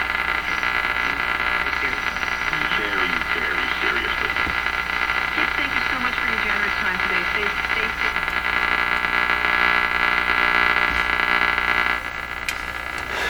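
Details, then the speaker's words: Hallicrafters S-38D receiver, original 12SG7 tube tested weak, on the AM band: constant hiss and crackle over the station audio throughout; static source not yet found. "that static you're hearing yes I am trying to resolve where it's coming from not having any luck with it so far"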